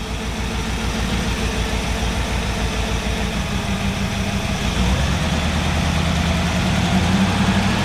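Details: 1963 Chevrolet Impala SS V8, first run after sitting 35+ years, with water just added: fairly steady low rumble at idle, no knocks or misses standing out; a healthy normal idle.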